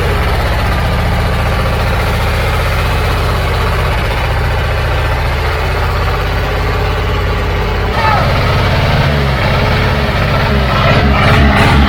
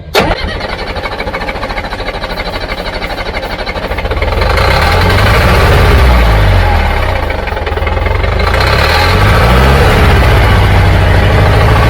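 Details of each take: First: Old Caterpillar diesel just started after bleeding injector lines; deep even idle, steady firing, no misses, revs rising slightly toward the end; running smoothly. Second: Old Caterpillar diesel after bleeding air from injector lines; starter grinding over at steady rhythm, then note deepens and swells as the diesel tries to catch.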